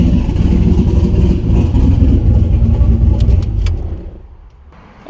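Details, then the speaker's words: Turbo LS-swapped Miata first start with new open downpipes, no O2 sensor bung yet and turbo coupler not hooked up: loud, raw, uneven low-rev rumble, smoking and running unhappily. "sounded pretty good it's still loud it's smoking"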